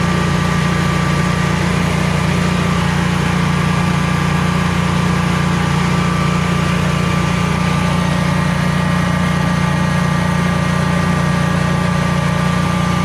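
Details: Generac Guardian 16kW standby generator running on gas after refurbishment, carrying close to 6,000 W of heaters: a deep, constant drone with a steady pulse, holding speed without dips or hunting, healthy under load and not hesitating.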